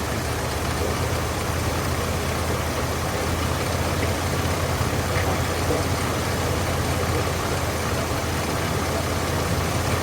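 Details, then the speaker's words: Carbureted engine being tuned with a dwell meter reading about 15: steady low rumble, idle hunting up and down, running slow and lazy; idle speed set too low and needs raising. "but I do hear the engine going up and down idoling higher and lower see it's going higher like that that's too"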